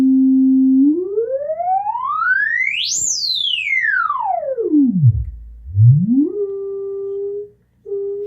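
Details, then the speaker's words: 1970s Minimoog Model D after repair: the VCF card was recalibrated after a loose board likely threw it out. Around range 7 the filter self-oscillates, with a clean whistling tone sweeping smoothly up high and back down without dropouts, working as it should. "so about seven you have things start regenerating ourself oscillating so it's working like it's supposed to now"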